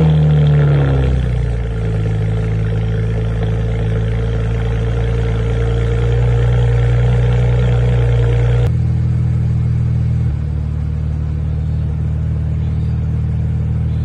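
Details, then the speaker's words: BMW 335i N54, started a few days after replacing leaking injectors with second-hand ones, resetting adaptations and taking a longer drive: an even, steady idle with no stumble or shake and the cylinders firing smoothly. This is a healthy idle. "after we did that reset adaptations and took the car on a longer drive it actually started to act a lot better at red lights and starting the car up and now i'll go ahead and show you guys a video of it starting a few days later in max's garage and you can hear how smooth the cylinders are"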